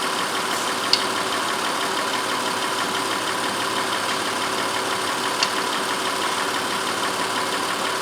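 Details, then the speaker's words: 2004 Honda Pilot 3.5 V6 after the cylinder 4 misfire was traced: steady, even hum for eight seconds with no stumbles or skips, runs smooth as glass. "you know it took a while for this problem to show up because you know now it runs smooth as glass and certainly don't misfires"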